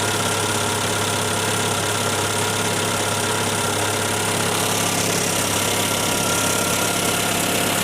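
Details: 1994 Skoda Favorit LXi estate, overhead-valve engine, found with alarmingly low oil: a light, quick ticking about three a second runs through the steady idle, sounding tappety; owner thinks it sounds tougher than usual, cause unconfirmed.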